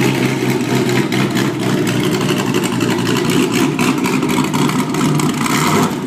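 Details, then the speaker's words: Porsche Boxster with LS3 V8 conversion, first test after removing mufflers and hex pipe system for straight pipes: loud, deep, choppy burble with hard throttle blips, raw and unmuffled; healthy, sounds like a muscle car. "V8 Boxster, no mufflers. Test number 1. Holy shit. Now that sounds like a fucking muscle car."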